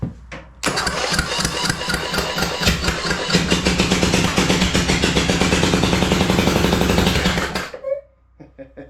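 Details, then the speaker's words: Rebuilt blown 27hp 724cc Briggs & Stratton V-Twin zero-turn engine (44Q977-0199-G5), new pistons, connecting rods and gaskets: cranks, fires and barks through open pipes at about four even pulses a second, then shuts off; not bound up, has compression, success. "Just the fact that it's not bound up, it has compression, it works. So I'm calling that a success."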